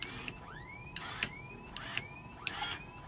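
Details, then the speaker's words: MD500 (Hughes 369C) helicopter, pre-start cyclic trim check pushing the knob forward, back, left and right; short rising whirs with clicks at start and stop show the trim motors working normally. "they work that's always a good thing to hear"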